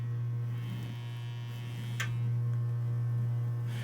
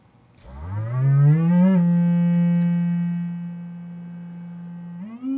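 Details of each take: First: Vintage 12-inch guitar speaker on test bench; steady low test tone with raspy fizzy buzz, frame bent oval likely from shipping impact, voice coil out of alignment and rubbing, stops when pressing frame: voice coil rub. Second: Vintage 12-inch guitar speaker on bench: clean sine sweep gliding up and holding a steady low note with no buzz, rattle or flutter; healthy speaker.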